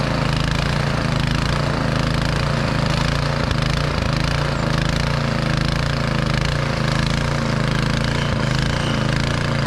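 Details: Snow blower's first startup after summer storage, blue smoke from fogging oil burning off while lights, augers and chute are checked. The engine gives a steady, even drone at constant speed with a firm low hum, no surging or rattles: normal running.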